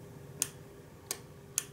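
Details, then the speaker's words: Relay with its cover removed, switching red and blue LEDs through a 220-ohm resistor: three crisp, isolated clicks about half a second apart over a faint hum as the coil pulls the contact down; normal relay operation. "You can hear the relay, and you can see the contacts. See the contact being activated?"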